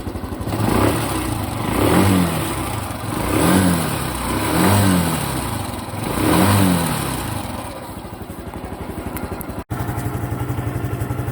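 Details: Honda Cub Pro small single-cylinder engine, after an oil change meant as a countermeasure, revved four times and dropping back to idle, with a light clatter on top; abnormal engine noise persists, cause unknown.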